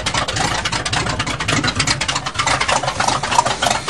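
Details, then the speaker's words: 1977 GMC 400 V8 truck on cold start, choke pull-off rod adjusted: rough, busy idle with uneven pulses over a lot of hiss while settling in to warm up. "now we'll let her warm up and see if she'll go for a ride"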